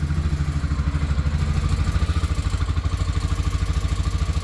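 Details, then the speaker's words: Massimo T-Boss 550 UTV after sound-dampening material added: fast, even tinny clatter at idle, about three per second, from underneath; owner suspects the muffler heat shield. "sounds like something under here's rattling with that muffler heat shield right there"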